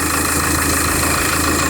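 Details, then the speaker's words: Citroën Évasion diesel with coolant constantly overflowing the expansion tank, CO2 tester fitted on the tank, at idle: constant hiss from the engine centre, not the belts; suspected head gasket or cracked block, possibly turbo, unconfirmed. "J'entends un sifflement. Et ça, celui-là, je l'aime pas pour le coup parce que à l'œil à l'oreille comme ça, il viendrait du centre du moteur et pas des courroirs comme si la pression du moteur sortait par un trou."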